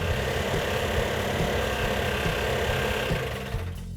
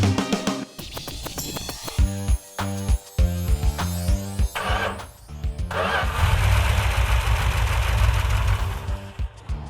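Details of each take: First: Freshly rebuilt 340 V8 in a Cuda, built about a year earlier and left sitting, running with an uneven, stumbling lope on about six cylinders; compression test showed low compression, owner suspects rings stuck, sand later found poured in. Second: Rebuilt 340 V8 in a Cuda, after earlier sand sabotage and low compression repairs, firing up and settling into a steady, even run as it should.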